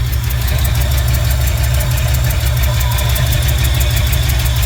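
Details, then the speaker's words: 1968 Ford F100 360 V8 with Flowmaster mufflers, idling on its own after a rebuilt Motorcraft 2150 carb fixed its surging idle: sharp, fast ticking in time with the firing; exhaust manifold leak, probably to be fixed next. "So you can probably hear that manifold leak. I'll address that next probably."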